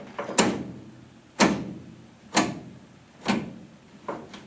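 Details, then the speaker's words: Jeep Scrambler with 258 engine, custom automatic transmission shift linkage: crisp single clicks about once a second as the lever moves through park, reverse, neutral, drive, second and first, positive detents with no slop; normal shifter detent clicks. "Okay, there's park, reverse, park, reverse, neutral, drive. That is some smooth shifting linkage."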